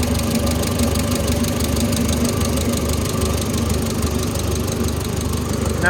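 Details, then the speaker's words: Oliver Super 66 tractor engine idling after valve adjustment: light quick tapping over steady idle from one valve with too much clearance needing readjustment; the other valves within spec. "I'm sure in the video you heard a little tapping yeah I'd be loud that one probably needs readjusted everything else is within specto"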